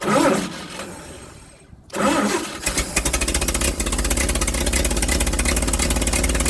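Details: Old carbureted truck engine, not run in 30 years, with the coil hooked back up, carburetor primed with gas and on choke: it cranks, catches on the second try, then blips over a fast idle. Oil pressure about 42 psi, nearly 50 revved, slight smoke as the rings seat.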